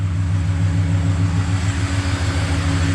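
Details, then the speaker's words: LS1 V8 in a Nissan GU Patrol on first start after the rear main leak repair and gearbox reinstall: a smooth, steady low burble with an even beat and no knocks or misses, a healthy idle. "idling beautiful but beautifully"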